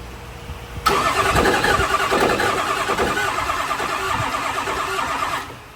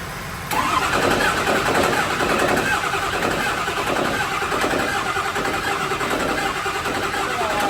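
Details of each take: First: 6.0L Power Stroke diesel truck pulled from the weeds, freshly installed engine built dry: steady starter cranking about three turns a second that never catches; throws cam position sensor code, no cam sync, original cam sensor with new connector, sensor or wiring suspected. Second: 6.0 L Power Stroke diesel from an old burnout truck, newly installed, first start after splicing a new cam sensor connector: cranks and fires, then settles into steady diesel clatter with slight stumbles and hiccups; engine starting and running.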